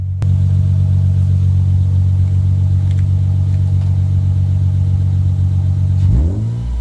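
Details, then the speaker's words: Lexus IS200 with rear muffler removed, started and revved, heard from behind: loud, deep, droning exhaust that stays boomy as revs rise; a pleasant low tone, somewhat noisy. "i have to tell you that the sound is really nice it's such a nice low tone it's not that much strong although it is a bit noisy"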